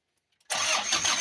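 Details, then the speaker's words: Old Bison diesel after the fuse fault that cut the power was fixed, started after a brief warm-up wait: engine catches at once and settles into an even, steady run with no stumble; normal start and idle. "Sekarang kita hidupkan. Khusus mobil tua ya. Sabar sebentar untuk pemanasannya. Nah, itu. Berarti jelas."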